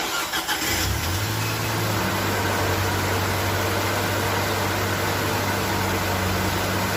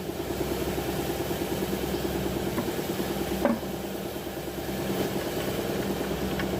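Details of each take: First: Nissan Navarra diesel being repaired for misfire code P0304 (cylinder 4) cranks briefly, fires and settles into a smooth, steady idle with no stumble or missing beat; sounds like it is running right. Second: Nissan Navarra diesel with engine misfire code P0304 (cylinder 4), idling with an uneven, lumpy pulse of about three beats a second and a faint clunk midway; sounds like a cylinder misfiring at idle, cause suspected, not confirmed.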